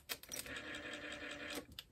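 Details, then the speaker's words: Ford Model A generator bench-tested as a motor on the bench, with drag applied to load it: steady, even whir with light brush hiss, quiet, no stumbling or stalling; healthy under load. "so I would actually run this one and uh you know it's quiet so it sounds like it should I like to put a little drag on it just to see uh underload you know when the motor is underload sometimes it'll stall"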